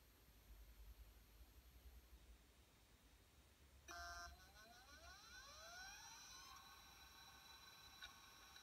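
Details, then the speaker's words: Apple PowerBook 100 Conner SCSI hard drive after freeing the stuck head from its rubber bumper: quiet room, then clean rising whir as platters spin up and settle, no ticking or clicking; drive spins up normally and boots. "there we go no more and look at that he is now booting"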